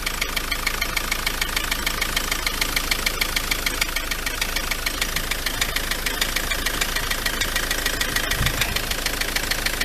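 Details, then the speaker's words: MK7 Ford Transit 2.4 RWD diesel, loud at tick-over: sharp even knock about three a second from the engine front; pulleys checked and not loose, turbo questioned; owner suspects dual mass flywheel, still investigating. "so I don't know where this engine noise is coming from it doesn't sound to be there does it is that a little turbo it isn't it is it I don't know"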